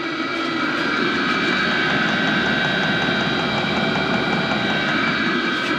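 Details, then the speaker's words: HCalory SS2 diesel heater at full heat, drawing about 57 W: steady even roar of burner and fan, no sputter or surging, and no diesel smoke from the exhaust; burning cleanly and efficiently. "okay gang we got this thing blasted all the way at full full heat and I don't see not one bit of diesel smoke coming out from the exhaust this thing is clean and efficient"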